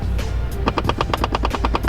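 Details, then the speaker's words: VW MK7 GTI at startup: rapid, even clicking about ten per second that starts whenever the car is turned on, stops when a button is held and returns when it is released; cause unknown. "I have absolutely no idea what it is at all, but it's just super annoying because anytime I get in the car and turn it on, it just starts and it just irritates the living hell out of me."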